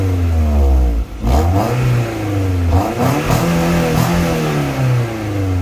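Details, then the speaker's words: High-mileage Mk2 Toyota MR2, straight-through sports exhaust swapped back to stock before its MOT; even, smooth revs rising and falling cleanly with a brief lift-off between; healthy engine, quiet stock exhaust. "so the stock exhaust still sounds good and I won't have any problems at the MOT, and I can always throw the sports one back on."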